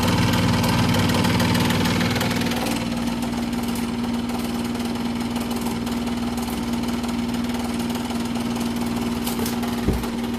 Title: Refrigerator making loud noise